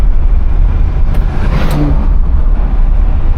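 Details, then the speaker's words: 1981 Chevrolet Caprice Classic two-door full rag accelerating: low, smooth engine pull with road rumble, no stumbles or knocks; throttle response good, pedal a little tight; normal acceleration. "Throttle response feels good though, so pedal's a little bit tight, but again, nothing to really complain about there."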